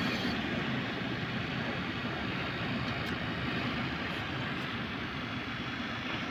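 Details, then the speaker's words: Heater blower motor (Volvo ventilation) powered from the fuse panel with ignition on, running at high speed. Steady, even rushing whir with no ticking, scraping or wobble. Normal running at high speed. "now we get normal sound of working motor on the high speed"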